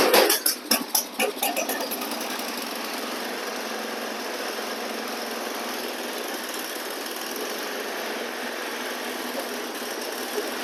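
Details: Free old snowblower after oil change (water found in oil), carb bowl drained and fresh gas: a few sharp catches as it fires, then a steady even hum with no knocks or misses; normal running.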